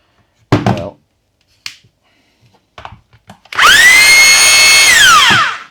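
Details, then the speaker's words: Makita DHR202 hammer drill with its case cover off, being rebuilt from two broken units: after handling knocks the motor spins up to a steady high whine and winds down smoothly. Drill mode works; hammer-only mode just makes noise. "drill seems to work. Hammer drill just worked before. Hammer only seems to be making noise at least anyway."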